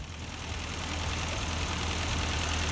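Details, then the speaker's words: 1952 Ford 8N tractor, not run for years, after freeing a stuck exhaust valve: low steady idle firming up, even beat, no miss, still burning off cylinder oil; running normally, no transmission noises. "sounds better for a long time so so they're running a lot better now still burning off all the oil that was in the cylinder"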